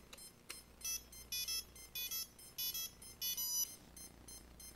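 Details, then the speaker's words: CX20 quadcopter at power-up, with one ESC not working and its motor not turning: shrill electronic beeps in short, uneven bursts, about one or two a second, repeating continuously as an error signal. "So let's say you plug in your CX20 and all you get is this. So you can tell one ESC is not working."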